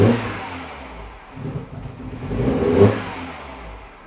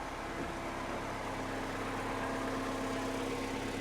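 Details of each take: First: now it's trying to restore again especially when you just bleep the throttle right so that's what i wanted to capture this morning Second: Mini Cooper R56 after the temperature sensor was replaced, warming up with temperature climbing while the throttle is blipped: a quiet, even idle with no misfire or hunting. Normal idle.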